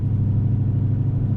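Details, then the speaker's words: BMW E30 with freshly swapped M60B44 V8, first test drive: deep steady rumble with faint throbbing pulse while cruising, something feels off and seems to come from the rear; suspected exhaust echoing under the car, unconfirmed. "that could be the exhaust that could be the exhaust just echoing on the bottom of the car"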